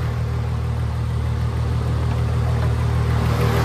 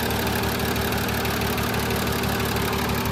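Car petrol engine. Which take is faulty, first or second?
second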